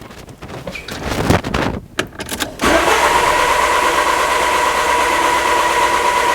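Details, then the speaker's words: 2000 Peugeot Partner crank-no-start with a brand-new Bosch sensor just installed (the car ran on the old one); steady rhythmic cranking but the engine never fires. Cause suspected, not confirmed. "so at this point i was like what's going on i just replaced it with a brand new boss sensor and now it doesn't run again"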